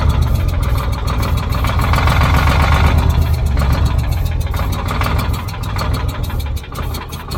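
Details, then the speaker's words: Old Caterpillar D6 dozer diesel on fresh batteries: steady low chugging as it turns over for seconds without catching; no fuel reaching it, fuel shutoff valve closed. "all right I am not getting fuel am I I run it long enough that it should have picked up fuel"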